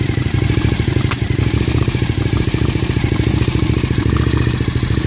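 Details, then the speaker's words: Engine at idle with the vacuum lines reconnected as intended and a line run to the throttle body: low lumpy idle with uneven pulsing and some clatter that never smooths out; runs rough, cause unclear. "I'm going to start it for you and I'm going to show you what it sounds like it sounds horrible with the vacuum lines in place where they're supposed to be so here we go"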